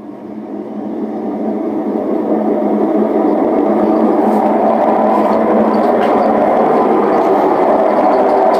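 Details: Hotpoint WM74 washing machine on spin, rising to a deep, steady train-like roar at full speed from worn drum bearings that will need replacing again.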